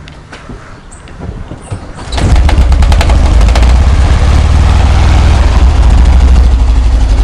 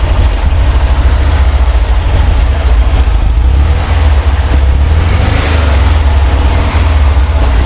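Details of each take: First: VW Kombi engine knocking on the first start of the day, fading once it stabilizes: cranks and fires, then an uneven knock near four per second under a loud low rumble; sounds like something loose, cause undiagnosed. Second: VW Kombi engine after a mechanic's repair of a frightening knocking noise on first start: deep, steady idle thrum with even beat and no knocking; normal idle, noise changed completely.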